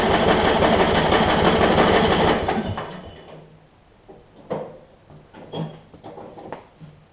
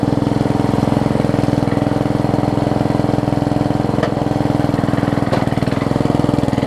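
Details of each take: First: Yard Machines 38-inch riding mower with 13.5 hp Briggs & Stratton, starting fluid sprayed in: starter churns about three times a second for two seconds without firing; owner suspects bad, watery fuel, possibly a fouled plug. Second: Yard Machines 38-inch rider, 13.5 hp Briggs & Stratton, spliced wiring, weak blade return missing spring, oil topped up: single cylinder chugs at a steady, even beat, no misses or knocks; transmission works, engine sounds alright.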